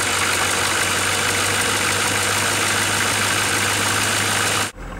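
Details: 1987 Ford F350 6.9L diesel at idle: an uneven knocking of a few beats per second under loud diesel clatter until shut-off, clearly audible from inside the cab. A knock with no clear cause yet.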